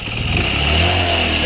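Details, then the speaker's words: Motorcycle engine after rebuild, running and revved: steady high whine over engine sound, noise stops when clutch lever pulled; fault from engine assembly, to be fixed from clutch side. "ठीक है तो यही problem है engine band कर दीजिए इसकी colours दबाने पर कुछ हंसना किस की आवाज खत्म हो जा रही है"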